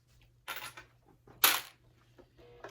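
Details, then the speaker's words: Sewing machine at stitch length 2.5: sharp, irregular clunks during stitching. Suspected leftover thread in the bobbin area; no extra thread found on checking. Cause not confirmed. "Oh, I didn't get enough thread out of my bobbin. Hear that clunking? See what it does? I thought I got it all out."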